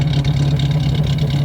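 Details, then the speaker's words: Vehicle running, jacked up, heard at the tailpipe: steady low exhaust burble at idle, even pulses with no popping or ticking; sounds healthy. "sounds all right"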